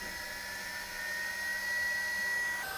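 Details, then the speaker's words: CNC spindle driven by a Vevor VFD, running at full set frequency of 120 with default ramp settings: steady high whine at even pitch with smooth airy rush, normal spindle at full speed. "that's now running at a frequency of 120. We can hear that running in the background, so I'll click stop now and let this slow down."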